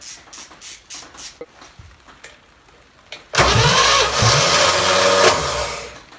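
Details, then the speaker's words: Chevrolet 283 V8 bought on Facebook Marketplace, run on the shop floor after priming: a few cranking bursts, then it catches cleanly and idles smooth and even with no knocks or misses; plugs slightly black, likely from rich fuel; healthy. "this this sounds real good it's smooth as can be I mean it idles beautifully"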